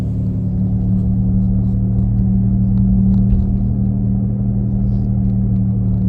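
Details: 2017 Nissan Leaf while driving: steady low droning hum with a deeper rumble underneath from the rear, loudest at 40–50 km/h but present at other speeds; owner asks if normal, source not pinned down.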